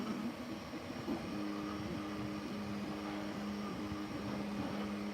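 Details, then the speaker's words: Creality K1-series 3D printer printing CR-PLA. Stepped motor tones under a fine buzzing rattle not heard before, apparently resonating through the top of the frame: rattle while printing. "It's got a rattle to it. It has got a weird little rattle to it, which I hadn't noticed previously."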